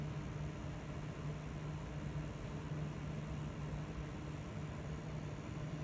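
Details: Gigabyte GTX 1070 G1 graphics card, back from RMA with the same coil whine and fan problems: constant airy whoosh over a slightly wavering low hum, no speed change; the card's fan sounds rough and noisy.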